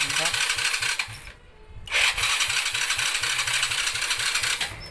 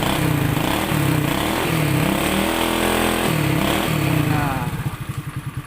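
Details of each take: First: Honda Dream 100, freshly rebuilt, full battery, kick-starts easily but electric start fails: choppy, uneven cranking churn that stops and resumes without catching; cranks but no start. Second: Honda Dream 100 motorcycle, freshly rebuilt engine, full battery: kick-started easily, firm even exhaust thumps rising and falling with throttle blips, then slowing to separate pulses as it shuts down; runs cleanly, only electric start is faulty.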